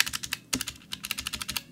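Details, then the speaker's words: Blue clicky mechanical keyboard switch with crisp clicks and a thin metallic ring from its unlubricated spring; machine-oil lubrication removes the spring ping but not the click. "yağladığınız da bu klik sesi gitmiyor ama yay sesi gidiyor"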